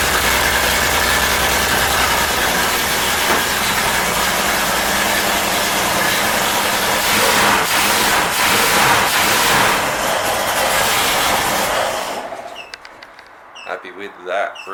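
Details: 250ci Ford inline-six running again after new Hall-effect distributor, retimed timing, new gaskets and rewiring: loud, busy engine runs about twelve seconds with even beat, no misses or knocks, before shutting off; running fine.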